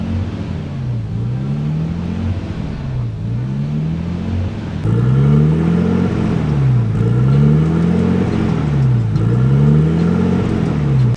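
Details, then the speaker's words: Nissan Skyline R32 RB20DET idling high and hunting up and down about every two seconds, with the idle screw almost fully in and the throttle plate held slightly open: high, surging idle. "however as you saw the screw is pretty much all the way in and we still have a super high idle"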